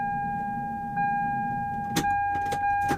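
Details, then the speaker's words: Lexus SC300 2JZ with fuel pump ECU bypassed by a jumper clip, key to on: steady mid-pitched whir from the rear for a couple of seconds; fuel pump priming normally, original fuel pump ECU suspected bad. "Hopefully you guys can hear that, but I can hear the fuel pump back there whirling,"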